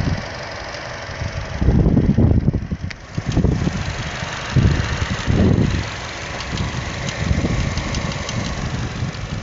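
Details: Chevrolet Cruze petrol engine at idle, happening occasionally at start-up: intermittent, random ticking much louder than the normal engine tick, plus low thumps; seems to come from just behind the engine; dealer could not replicate it.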